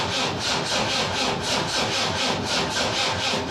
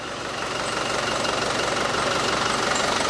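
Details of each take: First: Land Rover Defender 300 TDI diesel, lower-mileage swapped engine with new timing belt and gear, first start attempt; starter churns slowly, about one compression stroke a second, good compression, never fires; diesel not primed. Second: Land Rover Defender lower-mileage 300 TDI replacement engine after earlier diesel knock from air in the system: steady, even diesel idle with a smooth beat; faint squeak is the front pulley with rust on the bottom pulley. Sounds less tired than the old engine.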